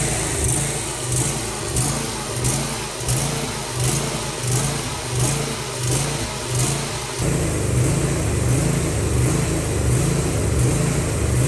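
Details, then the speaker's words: Briggs & Stratton V-twin with Nikki carburetor on a mower: engine surges up and down about 1.4 times a second, clearing mostly when choke is applied. "as you can see this briggs and stratton v twin has a bad surging problem also as you can see when i turn on the choke the surging problem clears up for the most part"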